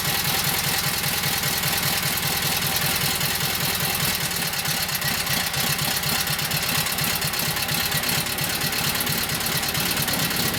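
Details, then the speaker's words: Kohler KT17 twin, first start after governor repair and reassembly, no choke, at idle: even, regular putter with no misses, knocks or surging; runs cleanly. "Okay, let's give it a whirl. So no choke, just sitting in idle. Yeah, let's fire it up."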